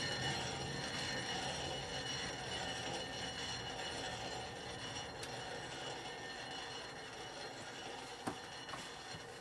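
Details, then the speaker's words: 1965 Harley panhead 74ci FLH: the wheel spun by hand gives a steady scraping hiss that fades as it slows; something is dragging and a brake spring is suspected to be rubbing. "do that brake spring rubbing rubbing that's not good"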